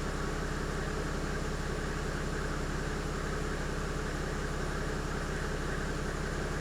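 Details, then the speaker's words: 1997 Mercedes-Benz W210 E300 diesel after replacing worn, carbon-fouled glow plugs: steady, smooth diesel clatter at idle with no stumble; the engine now runs healthy. "all right we're going to count that as a great big win that's a winner winner chicken dinner yeah she sounds good she sounds really good"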